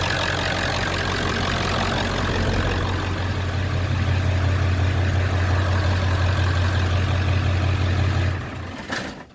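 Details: Ford 7.3 Power Stroke diesel after lift pump replacement (old pump let air into fuel, causing hard starts): steady, even low rumble with no misses, knocks or hunting before shutdown; idle sounds healthy.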